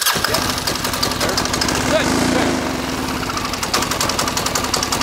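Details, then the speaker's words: Military diesel Kawasaki KLR motorcycle after fuel priming and timing: rapid, steady diesel chug at light throttle, no misfire or stumble, little smoke; running clean, normal. "not smoking very much it's running pretty clean so right now I think it's running pretty decent"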